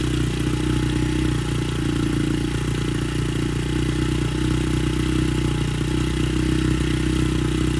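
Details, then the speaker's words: Honda CRF70F on a newly installed stock carburetor with a new fuel filter and air filter runs at fast warm-up idle with a steady, even single-cylinder thump. It started easily and is being warmed before adjustment. "okay so it starts up real easy"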